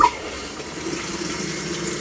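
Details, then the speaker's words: GE/Hotpoint top-load washer in service diagnostic mode, cold water inlet valve test: steady, even rushing hiss of water filling uninterrupted; normal cold water fill. "Now we need to check the cold water. So cold water is going to be the first three from the right. Cold water valve."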